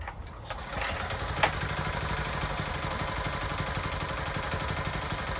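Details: Mini tiller (cultivator) small engine after cleaning clogged, dusty air cleaner: catches after a few clicks and settles into a steady, even putter with no misses; previously revved poorly and lacked power.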